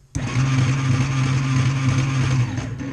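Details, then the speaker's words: Old Yamaha Warrior quad on first assessment, relay overridden and terminals cleaned, spark plug still in: steady, even starter whirr about two and a half seconds with no catching or grinding; turns over well, with some bearing roll heard. "Turns over perfect. Amazing. I do hear some bearing roll."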